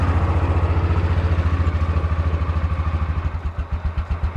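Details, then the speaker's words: Yamaha Rhino side-by-side with 1942 Jeep GPW kit, cold start after sitting overnight at about 40°, choke pulled then half choke: fires right up, even rapid chuffing idle that slows and lopes toward the end; idle perhaps a little low. "So, it sat overnight at about 40°. So, let's see how well it cold starts. Pull the choke. Fired right up. Half choke."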